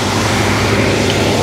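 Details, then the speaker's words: 1971 Cadillac DeVille 472 V8 with a rebuilt Quadrajet, after adjusting the high idle and reconnecting the vacuum advance: a steady, even high idle with a smooth exhaust note as the advance kicks in; normal idle. "it opens up the throttle plates a little bit and lets a little vacuum get to the distributor and then Smooths it real it Smooths it out really nicely that's the way it's supposed to work"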